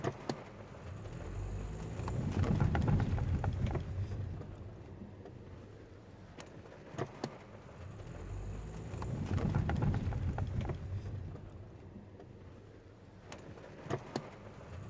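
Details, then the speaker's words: 2014 Toyota Vios (Yaris) driven over speed bumps after the hardened stabilizer bushings were replaced, listened from underneath. Two soft swells of tyre and road rumble with no clunk or knock from the front end; the suspension sounds normal. "जब रबर प्रतिस्थापन के बाद गति धक्कों से गुजर रहा हो, झाड़ी ध्वनि की शिकायतें अब दिखाई नहीं दे रही हैं"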